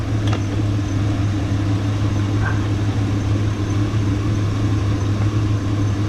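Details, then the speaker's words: 2001 Chevy Suburban revved lightly after fitting a brand-new AC belt and tightening the belts: steady engine hum with a deep even drone and no squeal or chirp; belt drive quiet and healthy. "Let's put a little light to this real quick. It's been good, no squeaks."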